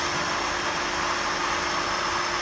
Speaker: You can hear air hissing out of here. There the pump is starting to prime. There's water now flowing into the filter.